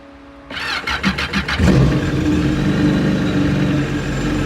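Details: Yamaha FZR 1800 WaveRunner jet ski, after fixing loose negative relay contact that caused no-crank no-start: several quick cranking pulses, then fires and settles to a smooth, even idle; starts normally.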